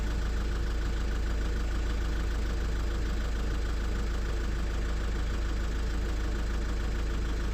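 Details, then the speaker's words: Lexus IS220d diesel after the EGR valve was cleaned and refitted: a steady, even clatter with a regular beat around three per second and no misses or surging. EGR working; normal running after repair. "Short clean up. Uh exhaust gas recirculation working and she's revving obviously."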